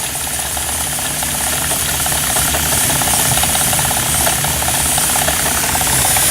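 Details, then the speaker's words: Steam engine: steady hiss over a quick, fairly even chuff of about 200 a minute; steam leaking from a joint, engine not running right; steam leak. "hold on uh it's leaking out of there that's the problem"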